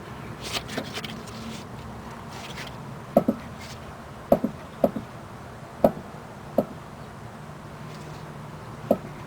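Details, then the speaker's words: 2005 Chrysler 300C that clunks when turning: sharp irregular clicks, some doubled, as the right-side suspension is pushed down, showing play in the worn upper ball joint, possibly dried out after its dust cap was missing. "See the clicking noise? I'm pushing down on this. Yeah, there should be no play whatsoever."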